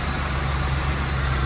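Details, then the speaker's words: Old red Ford revived after sitting, brand new gas, cold start: steady, even low rumble with no knocks, misses or dips; normal idle, sounds healthy. "Oh, that brand new gas in there just smelling delightful. Hold on. It sounds good. Ford Loyal."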